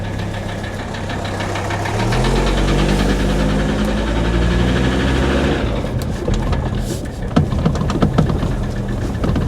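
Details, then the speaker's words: Mercedes W123 300TD turbo wagon, 260,000 miles, heard as the car drives past: diesel clatter with a harder rapping metallic knock, sharper than normal diesel sound; engine bad, noise worsening, cause not yet determined. "Just listen, particularly when the car goes by, you can hear that rapping metallic knock. That is not a normal diesel sound."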